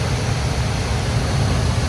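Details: Home furnace after clearing spray-foam blockage in vent that caused pressure switch 3-blink no-ignition fault: even low burner roar with steady inducer rush, no cutting out; lit and running normally.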